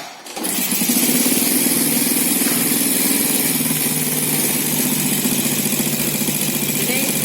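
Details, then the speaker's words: Four-stroke motorcycle engine at idle before valve clearance adjustment. Light, quick metallic ticking keeps pace with the engine, from excessive tappet clearance. "Terdengar sekali ya, dentingan logam. Dengar ya. Nah, itu sangat jelas sekali terdengar."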